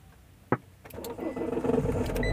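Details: Mahindra XUV500 W8 that cranked without starting, with flashing check engine light and immobiliser codes P183F, P1832, P183B, after key programming and code clearing by scan tool: a click, then it catches within a second and runs steadily; now starts normally.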